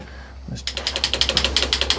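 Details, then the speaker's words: 1982 Honda Goldwing GL1100 rebuilt from barn-find parts onto a parts-bike frame, start attempt on the key: rapid even clicking about eight per second with no cranking; starter clicks but won't turn the engine. "Try it again. It clicks, but ain't nobody home."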